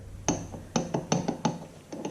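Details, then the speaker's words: IHC Farmall Super MTA tractor oil pump during rebuild: irregular hollow clunks as the pump shaft is rocked by hand, worn shaft with excess play in the housing; a new shaft has to be made. "This shaft is worn in here. And looking in here, I can see the shaft move a great bit. So we'll have to deal with that."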